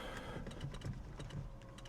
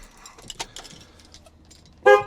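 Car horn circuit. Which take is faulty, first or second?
first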